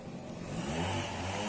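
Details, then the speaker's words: Yamaha Jupiter Z before repair, riding and closing the throttle: engine buzzing along, then a sharp clack at each throttle change; the badly worn clutch housing damper rubbers cause the knock on throttle changes and gear shifts. "Jadi ini ketika jalan ketika lepas gas tutup gas itu timbul suara cocok-cocok itu ya"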